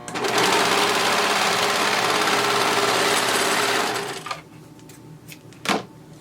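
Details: Brother 1034D serger stitching fabric after knife replacement and cleaning, settings at 4: fast, even stitching chatter for about four seconds with a steady rhythm and no clunks or grinding, then it stops. The serger runs healthy.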